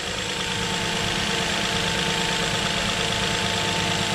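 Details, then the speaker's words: 2007 Nissan Murano 3.5L V6 after replacing the cylinder 3 coil (rear bank under intake manifold) for a misfire: smooth, even idle with steady hum, no skips; all six cylinders firing, misfire cured. "so let's put a new one on here real quick there we go now it's firing on fire"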